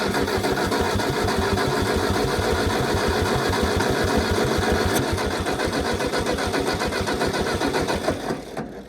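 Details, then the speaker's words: Old Ford Jubilee half-track tractor, sat five years, on a borrowed 9N battery: steady starter cranking about three and a half beats a second for eight seconds, never fires, then stops; no-start. Owner suspects carb or spark issue; very weak spark found. "I think we're gonna have to pull the carb off. Still should have tried to fire, even if it is the carb. Might have a spark issue."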